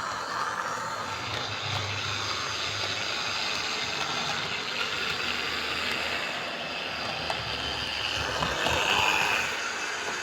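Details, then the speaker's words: Hornby R041 GWR Class 57xx Pannier tank model loco on the layout, smooth pull-away with no hesitation over points; steady high-pitched whirring and rattling, far too loud: rear bearing replacement considered. "but it is way too loud so there's two things i can try i can try replacing the rear bearing if i've got any left"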